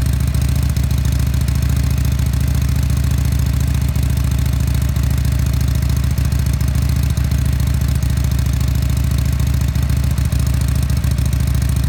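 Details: Harley-Davidson Sportster SuperLow V-twin, 4,300 miles, just started: even, loping idle beat at about two pulses a second with a steady low thump and no odd knocks; normal, healthy idle.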